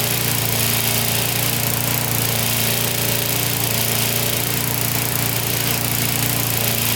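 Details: Older Briggs & Stratton 3.5–4.5 hp mower engine with carb on metal tank, after carburetor diaphragm replacement and cleaning: steady, even single-cylinder drone at constant speed with no misses or hunting. Running healthy.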